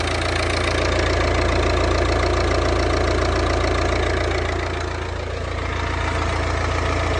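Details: 2015 Volvo V40 D2 1.6 diesel (D4162T) after timing belt and water pump replacement: even diesel clatter at steady idle with regular firing and no knocks or squeals, running fine.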